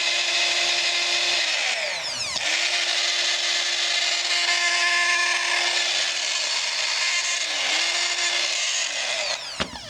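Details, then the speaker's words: Work Sharp knife sharpener motor, about 4 years old, squealed since new despite repeated oiling: steady high squeal over the running motor, dipping briefly under load; motor squeal. "Said this motor squealed. I should have sent it back for that reason. I just kept putting the oil down in it."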